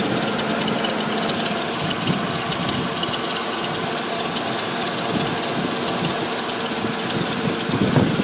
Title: Audi S8 -99 4.2 Strange ticking noise